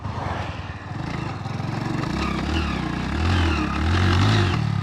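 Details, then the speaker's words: 27-year-old (1999) Hero Honda Splendor Plus on E20 ethanol petrol, riding in second gear: small single pulls with uneven surges and dips in revs; jerking in second gear. "अब कुछ लोग कहेंगे कि ये झटका ले रही है। इसका दूसरा गियर खराब है।"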